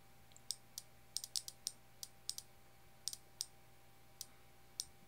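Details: 5V bare relay driven by an Arduino through one transistor and a diode, switching an AC or DC load: crisp, light clicks in uneven bursts of roughly three per second in a quiet room; normal relay switching.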